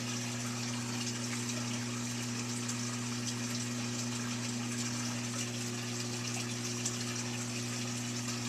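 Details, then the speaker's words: Whirlpool Duet Sport WFW9150 washer that wouldn't drain (F9 E1) after a jammed pump impeller was cleared: steady, even pump hum with water gushing into the drain pipe, no rattle or grinding; the drain pump runs normally. "s now running, and we're getting discharge into the drain pipe. We're going to let it pump all the way out."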